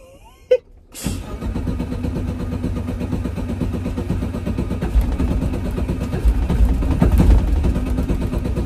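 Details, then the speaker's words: Bradley GT 2 kit car, just finished break-in with valves done and fuel system changed, driving off to a car show in North Pole, Alaska; uneven, lumpy low rumble, it quit leaving the driveway and runs bad; rough running, cause unknown. "so annoying we barely left the driveway she's already being tempermental"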